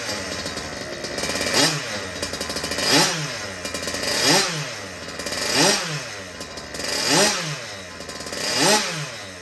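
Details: Rebuilt Goped Sport with brand-new Zenoah G320 two-stroke, custom billet parts: blipped about every second and a half, crisp rise and fall in revs, clean pickup, no misfire; healthy.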